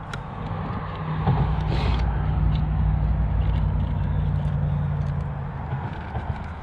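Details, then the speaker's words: JJRC Q65 Willys Jeep RC car on its stock small 130 motor: low, uneven hum, pitch sagging and surging under load, strained and short on power. Owner thinks the 130 motor is struggling and plans an MN-99 upgrade; the cause is not confirmed. "I think the 130 motor is just struggling with it."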